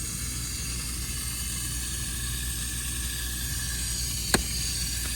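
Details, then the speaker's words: Geothermal open-loop system after replacing a failed Taco valve: water at first trickled, now a steady, even hiss rushing through the line with no gurgle or sputter; loop flowing freely. "You could hear it trickling, and now it's flowing good."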